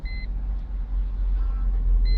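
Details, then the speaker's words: 2001 Mercedes E320 that cranked but would not start, now running with the fuel pump relay bypassed. Low, even idle rumble with a two-tone dash chime at either end, no stumbling. "Okay. There it runs. Okay. Then it cranks up. It runs."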